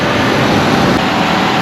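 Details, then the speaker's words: 2004-2008 Dodge Ram 2500 5.7L Hemi after water pump replacement, idling about 25 minutes warm to burp air from coolant with heat on: smooth, even V8 idle with no knocks, squeals or rattles; normal idle. "okay we've been letting this thing run for about 25 minutes while you're letting that burp out"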